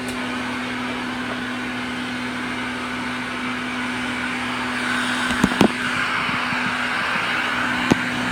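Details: 1990s Health Mor Elektrapure canister vacuum with a fitted HEPA bag, set to high: steady, fairly low, even drone that never reaches full speed, because a circuit board fault limits the motor and suction stays middling.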